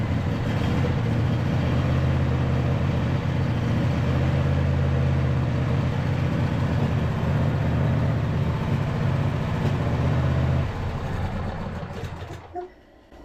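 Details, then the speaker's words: Neglected John Deere E180 riding mower idling unevenly, spitting and sputtering at about three stumbles a second, then cutting out; owner suspects old gas and plans fresh fuel and plug check, carb cleaning maybe not needed. "well it is running a little bit better but you guys can hear it's still spitting and sputtering I don't know how old the gas is in here"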